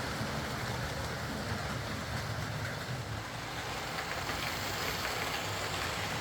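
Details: Old Lima Class 40 model locomotive in BR green on a replacement motorised chassis after the original front bogie failed; soft, steady whirr with light wheel rumble, no surging or stutter, quiet, no pickup issues, low current draw, smooth running.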